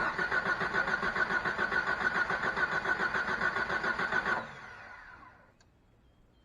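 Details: 1989 Jeep with 4.2 L, sat three years, run out of gas before storage: steady starter cranking at about 3.5 turns per second for four seconds without firing; fuel not yet reaching the engine, owner suspects a dry-rotted fuel pump.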